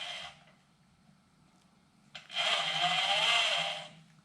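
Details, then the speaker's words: Ducati Monster 659/696/796 on the bench during cam timing after refitting the timing belts: the crank is turned backwards by hand and drives the starter motor, giving a brief airy whirr of about a second and a half, a normal starter spin. "the starter motor you can hear turning over. And turn it backwards, it drives the starter motor."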